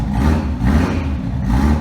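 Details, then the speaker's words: V8 just after replacing exhaust collector gaskets melted by a nitrous spray: revs smoothly with a deep, even exhaust note and no ticking between pulses, so the exhaust leak is fixed. "no ticking I like it"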